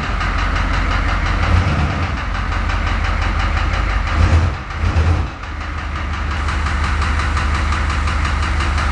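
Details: Engine with cracked pistons, after 80,000 km of hard use, idling as the car rolls into the garage: deep, heavy rumble with a steady low knock pulsing through the idle, the cracked pistons slapping in their bores.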